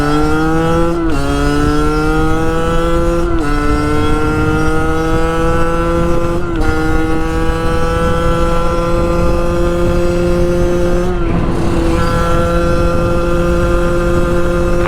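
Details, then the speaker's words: Sherco 50 SM supermoto, tuned and jetted but still too rich, revving to about 11,000 rpm and reaching 65 km/h: engine climbs strongly through the gears with clean shifts; acceleration limited by gearing, sprocket suspected as the main restriction. "as you can hear the power is there it's not that it's running out of power it's that the gearing is just so far off the ratio is just wrong"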